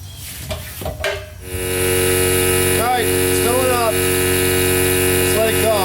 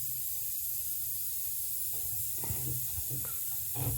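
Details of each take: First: Old long-unused shop compressor filling its tank, the smaller unit tried first: even steady pump drone with no big-leak hiss, sounds healthy; only a small drain valve leak noted. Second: Old Worthington shop air system: steady high-pitched hiss under low shop hum, pressurised air escaping through a crack in the plastic air dryer housing just below the lip; later repaired with epoxy.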